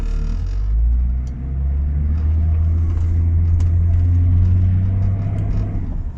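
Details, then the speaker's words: Range Rover P38 after gearbox filter and oil change for no-power fault, driving at about quarter throttle: deep steady rumble pulling evenly, no slip; fault previously worsened as it warmed up. "far so good that's pretty good compared to who it has been but it tends to get worse the hotter it gets the more it warms up the worse it gets"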